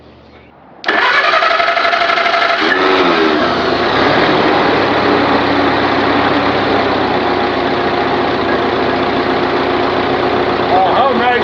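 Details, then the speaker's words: Continental F124 flathead forklift engine salvaged from a fire-damaged 1952 forklift, just started, not yet warmed up: catches within a second and settles into a steady even idle, no misses, knocks or rattles; healthy. "uh it certainly fired right up i'm really happy with that"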